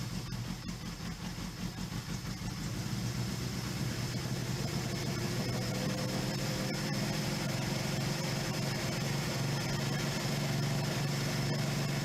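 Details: 1977 Suzuki GS550 four-cylinder, first start after sitting two years: even, steady idle firming up over the first seconds after starting; normal cold warm-up idle, needs three to four minutes before riding.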